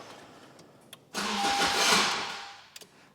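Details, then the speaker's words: Car after an ABS pump replacement, with a starter suspected undersized and 6–8 V measured while cranking: a short burst of cranking that never catches or fires; it cranks but won't start. "It's cranking. Why won't it start though?"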